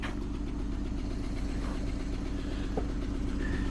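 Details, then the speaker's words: Dodge Chrysler, 134,000 miles, severely overheated; restarted with map sensor connected, lumpy idle with a dull irregular chuff two to three per second, coolant coming out as liquid: engine cooked, not repaired. "This thing is cooked, guys. Freaking cooked, man."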